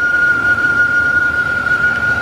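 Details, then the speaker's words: 2000 Dodge Ram Van B1500 with code P0505 idle control system malfunction, at idle from front of van: steady high hiss over quiet idle; serious vacuum leak. "cuz we heard a vacuum leak a serious vacuum Le too"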